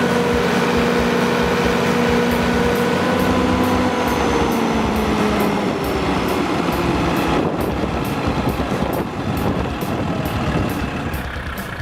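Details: Used 175 kW Kohler generator with a John Deere diesel engine, fully serviced with new oil and filters and a refurbished radiator. It gives a steady, heavy diesel drone beating evenly about three and a half times a second, no knocks or misses, healthy.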